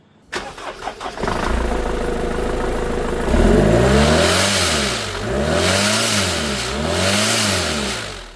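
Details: Mercedes C-Class after front crash, intercooler end torn off: engine starts and revs in smooth swells, each rise bringing a rushing hiss of escaping boost air from the holed intercooler.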